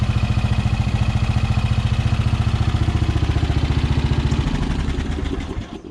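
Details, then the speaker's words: Repaired Craftsman riding mower, final start after deck adjustment: small single-cylinder engine fires up and settles into an even, steady putter around 200 beats a minute; smooth healthy motor. "And other than that, I mean, brakes work, transmission's good, nice smooth motor on it, good battery."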